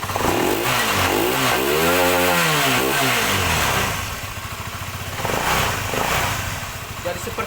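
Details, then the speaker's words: Honda CBR LED motorcycle after piston (seher) replacement to cure knocking noise and smoky exhaust: engine revs up and down cleanly with even exhaust note, no knocking; oil circulating, now smooth and no longer smoking. "Dan ini sudah halus ya, belakangnya juga sudah tidak berasap"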